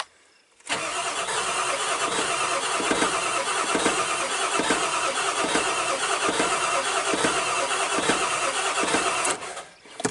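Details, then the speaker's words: Big Red, an OBS Ford truck, cranking with the throttle pedal floored after charging old batteries: starter spins steadily for about nine seconds with even compression pulses near three per second but never fires; wait-to-start light stays off, so owner suspects no power to the PCM. "it almost half sounds like it wants to start I doubt it will because I think if the weight to start light doesn't come on unless that bulb's burnt out I think that means I've got no power to the PCM"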